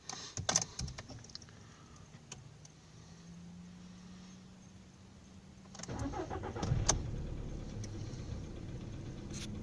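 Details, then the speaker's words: Volkswagen Polo Sedan petrol engine starting and settling to idle: faint uneven knocking under the running sound, heard immediately at start-up; cause unknown. "Вот, сразу слышен характерный стук."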